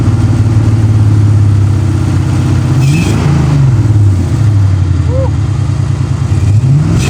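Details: Ford Mustang Fox body V8 project car, just started in neutral after fitting a new Motorcraft starter solenoid and a trickle-charged battery: catches and runs steady, throttle blips rise and fall cleanly, then settles to an even idle, running normally.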